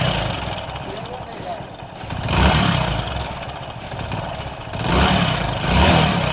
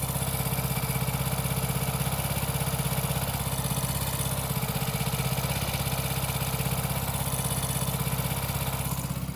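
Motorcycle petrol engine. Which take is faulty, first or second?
first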